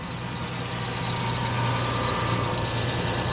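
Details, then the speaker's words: Lexus LS430 idling after coil work, now running much better with no check-engine light and low fuel: fast steady high-pitched chirping squeak, about four per second, from pulleys or belt; cause suspected, not confirmed. "she's squeaking, and the one right down here I think is squeaking, so that's bad. But the engine itself is running really, really well, so that's huge."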